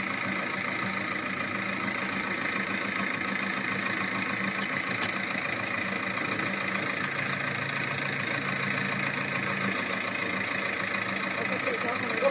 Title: Motorgeräusch mit defektem Hydrostößel, es ist eine 1,9 tdi 105 PS VAG-Gruppe